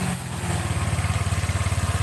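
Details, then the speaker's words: Honda Vario scooter CVT after repair: a rough "krosok" noise was heard when the rear wheel was held while the engine ran; now a steady, even low pulsing with no rough rumble or grinding, the belt drive sounding healthy and smooth. "Oke Bro ini suaranya sudah halus ya enggak kedengaran kroyok proyek-proyek gitu"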